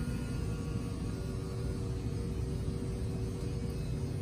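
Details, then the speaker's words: 2018 Cardinal 3825FL: the sofa slide-out motor gives a low, steady hum with a faint, even whine as the slide extends, with no grinding or binding; normal operation. "once that's out all the way we'll just kind of here someone comes from the motors and that's it"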